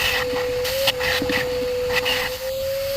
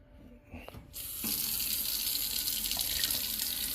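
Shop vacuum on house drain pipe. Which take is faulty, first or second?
first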